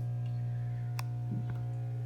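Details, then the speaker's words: LG WT5680HWA top-loading washer, five years old, with bearings already gone. When draining there is a steady low buzz with clicks but no water moves; the drain pump has failed. "and now trying to get the water out you can hear a buzzing sound that's the dream nothing's happening so the pump is also gone"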